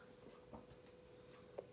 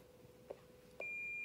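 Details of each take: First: President McKinley CB radio built-in SWR meter, keyed on channel 40: steady tone then quick run of short high pulsing beeps; SWR 1.6 versus 1.0 on channel 1, antenna needs shortening a little. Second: President McKinley CB radio built-in SWR meter reading 1.0: steady high beep tone runs constant with no pauses or breaks, indicating a good antenna match; pauses between beeps would indicate poor SWR.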